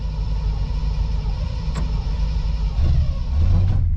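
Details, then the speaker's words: 1959 Chevy 348 V8 cold start after sitting about three months, started without setting the choke. A low, deep rumble holds steady and fires evenly, sounding healthy. "how do you like that it started and I didn't even set the choke"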